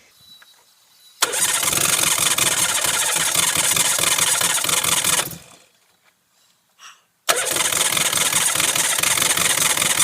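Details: Van "Max" after engine rebuild with top-end gasket kit: starter churns about four beats a second for several seconds, stops, cranks again, but engine never catches; cranking, no start, owner suspects ignition timing/distributor position.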